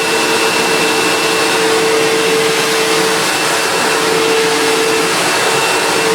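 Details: Sebo Automatic X1.1 950 W upright vacuum, heavily used and reported not working, running before refurbishment: steady, even motor roar with a clean whine that holds level while the height is adjusted; running normally.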